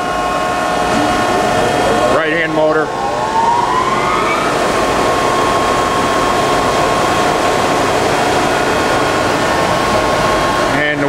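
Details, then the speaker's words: 1967 Gardner SDG3-30 horizontal double disc grinder, rebuilt in 1995: motor whine climbs as the spindles spin up, then a steady even hum with no grinding or knocking; faint ticking comes from the part-ejecting flapper; spindles in excellent condition. "all right we're going to uh turn it on and uh listen to the motors and the wheel carrier leftand"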